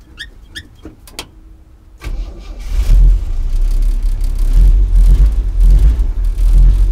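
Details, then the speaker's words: 1964 Chevy C10 with 230 inline-six, start-up: a few clicks, then the engine catches and runs lumpy and uneven with puffs and dips; engine misfire. "it just turns off like that. Sounds pretty bad, but it'll get better."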